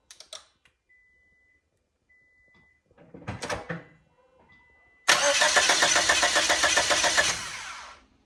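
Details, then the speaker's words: Junkyard used engine just installed in a Scion xB, first start: catches after cranking and stumbles unevenly for a few seconds; running rough despite a changed spark plug, owner suspects a misfire on one cylinder. "Okay. It is running rough. I've changed the spark plug. So, I'm thinking it's missing on a cylinder."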